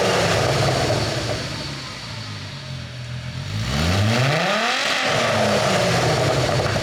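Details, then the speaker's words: 2002.5 VW Golf/GTI Mk V 6-speed VR6, front clip cut off and running on a drip fuel feed outside the car as a donor for a mid-engine RWD 1991 Civic: smooth steady idle then a clean even blip, no knocks or misses; healthy engine. "Woo. She's idling down good. It's not unhappy over there at all."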